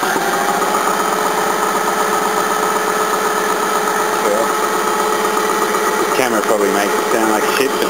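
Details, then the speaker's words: Restored 1950s-era air compressor, rebuilt about 3–4 years ago and heavily used, feeding a second tank in the carport: very quiet steady run with faint even pumping pulse about twice a second and air intake audible, no knocking; normal running. "very quiet hear the air going in and it's pretty much about it"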